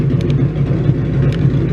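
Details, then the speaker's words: 302 stroker Mustang V8 warm idle after a 70-mile drive: deep, steady low rumble with a slightly choppy, loping beat from the lumpy cam; normal healthy idle with cam lope. "after you know warming up for a bit this is how the idle sounds now actually sounds like an old school stroker now"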